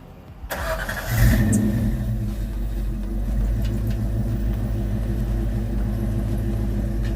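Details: 1986 Ford Mustang LX Fox body after high-torque mini starter installation, in light snow: quick crank catches almost at once with extra throttle, then settles into a steady, even idle; clean start.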